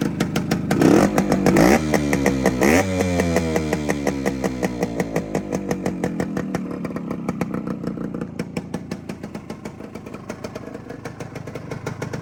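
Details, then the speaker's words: Freshly rebuilt 1972 Suzuki TS185 two-stroke after a new top end that fixed very low compression: crisp, even popping that settles into a steady, unhurried idle with no misses or rattles. It purrs nicely, running sweet, normal idle. "But here's a walk around here. I'll give you a quick little. Listen how nice that thing purrs."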